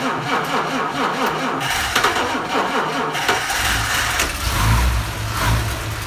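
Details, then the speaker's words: Vintage Mopar with 6V generator system, stone cold after sitting a couple of weeks, battery at 6.3 V: slow even cranking for about three seconds, then it catches and settles into a steady idle; healthy cold start. "the car is stone cold it's been sitting in the garage for a couple of weeks and not been driven so i'm gonna go crank it over if it takes a little while to start that's actually a good thing"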